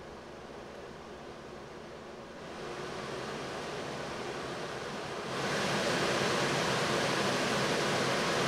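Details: 1990 Mercedes W124, Tempmatic HVAC, newly replaced blower motor after old bushings wore out, tested after install: smooth even rush of air stepping up twice to higher fan speeds, no squeak or labouring. Normal blower operation after repair.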